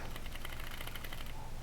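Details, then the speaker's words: Yamaha Tenere 700 parked with engine off after a 20-minute ride: rapid papery fluttering buzz from under the bodywork near the top of the engine, found with the plastics off and tank lifted to be a locust trapped behind the voltage regulator. "I figured it out right there is a Locus it is tucked up underneath there and that's what the fluttering has been coming from"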